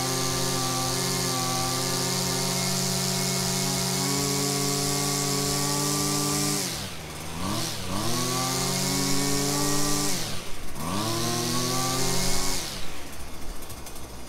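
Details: Husqvarna string trimmer after carb and idle screw adjustment for bogging: high, steady two-stroke scream holds clean at full throttle, drops and climbs back cleanly with no obvious bog; normal running at full throttle.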